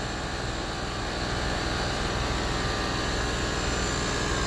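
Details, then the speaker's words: Land Rover Discovery 3 air suspension after new compressor, mount and relay fitted (old dryer clogged): steady electric whir with constant pitch and even hum, no rattles; pump is slow but suspension is rising. "hear the pump going it's slow but it is going up"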